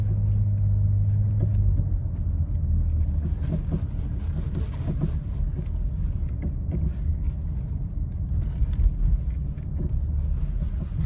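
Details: Nissan Rogue just back from another shop with a replaced engine and no mileage on it; low road rumble with scattered sharp clunks over small bumps, traced to a sway bar link knock, likely left untightened.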